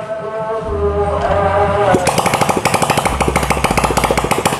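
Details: Honda Legenda (old motorcycle, owner complaint smoky, noisy, hard starting) after repair and cleaning, exhaust refitted: engine catches after a couple of seconds and settles into a steady, even idle with no knock or rattle; sounds healthy.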